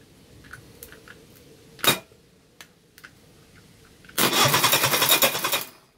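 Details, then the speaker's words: Reliant Fox engine on the garage floor cranked for a compression retest, ignition disconnected. Quiet clicks, then even, regular cranking beats with no weak stroke: cylinder 4 now reads 150, so compression is restored. "we go we've got 150 that is very pleasing so we have our compression again on cylinder 4 brilliant"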